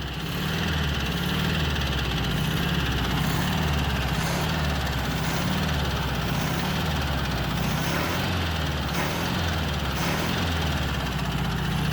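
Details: 1967 Volkswagen Beetle revived after sitting, valve train corrected: loping, unsteady idle with a throbbing pulse, a knock on cylinder 1 that also pulses through the carburetor; cause not confirmed, engine removal considered, throttle response much improved.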